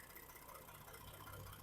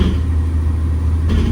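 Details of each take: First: 2012 Ford F150 3.5L EcoBoost with 296k miles and random misfires, at idle with a new coil on cylinder 5: a quiet, lumpy pulse as cylinder 5 stays dead; owner suspects the PCM shut that cylinder off. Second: 2012 Ford F150 3.5L EcoBoost, 296k miles, after coil-on-plug testing for random load-related misfires (suspected mismatched-coil crosstalk): stalled up in gear against brakes, steady even low drone, no stumbles or dropouts; clean running under load, loud suspension.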